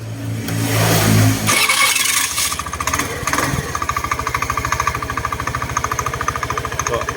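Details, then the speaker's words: Honda Scoopy i after fixing clacking from loose bushings in an engine cover (screw bosses ground down and retightened): starter whirs, engine settles into even steady idle pulses, much quieter, no clacking; normal idle. "เบาลงมากนะครับผม"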